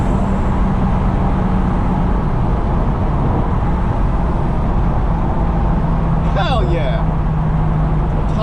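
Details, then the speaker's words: Turbo Lexus IS300 on a test drive after battery and ABS module relocation, accelerating hard with turbo spooling: loud, even engine drone building under road and wind noise, no knocks or rattles; temps good, brakes firm, normal turbo engine pulling cleanly. "yeah and that gets your blood rushing temps are looking good everything sounds good feels good hope I'm not jinxing it"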